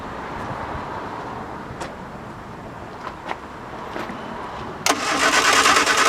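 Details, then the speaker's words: 1973 MG Midget off the road over 21 years: a few faint clicks and quiet cranking, then the engine catches abruptly and settles into a steady, lively run. "There it is. It's running. 20-some years."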